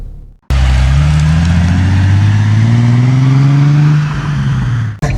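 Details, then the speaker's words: Infiniti G37/Q60 cabin after a $20 sound-deadening fix, no resonator and exhaust untouched: exhaust is a low, steady hum rising gently with revs, with no heavy booming drone. Much quieter; decibel meter showed a significant drop, though sound returns under throttle. "I can already tell this thing is so much quieter now. The decibel meter showed that, a pretty significant drop in volume, but just living with it, it is a lot different."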